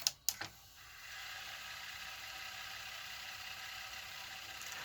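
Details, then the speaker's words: 1985 Hitachi VT-63 VCR, heard from the underside of the mechanism: a couple of clicks as it shifts, then a steady, quiet high whir with no squeal; fast forward runs normally, so the squealing bearing may be elsewhere. "so it's interesting this doesn't make any noise in fast forward or rewind so maybe i'm wrong about where the bearing is that's squealing"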